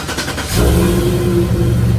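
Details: Chevrolet Silverado SS clone started with a newly installed Viper remote start: brief crank, then the engine catches and settles into a low, even idle with no stumble; clean start.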